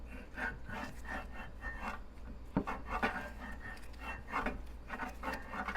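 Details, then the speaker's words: 20-inch California Trimmer reel being seated to a newly installed bed knife, turned slowly: scraping rasp in some spots, quiet in others. The reel only touches the bed knife at one end; contact is uneven. "so it's touching right there and then you want to listen to it go all the way across a loose spot right there it's not touching anything spot over here it's not"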